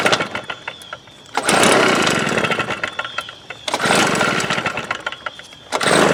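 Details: 1998 STIHL BR320 two-stroke leaf blower, about 24 years old, run during carburetor adjustment attempts: surges to full throttle and sags back every couple of seconds, failing to hold top revs; power loss later fixed by carburetor cleaning.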